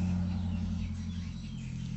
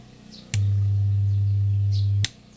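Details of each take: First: Old-model active speaker without Bluetooth, after repair of its hum fault, powered on with no input: the hum is gone, and touching the input brings a steady low hum that fades a little, which is normal. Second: Old-model active speaker without Bluetooth, powered with no input before repair: loud, steady low hum in long on-off blocks while the speaker cone is pulled backward.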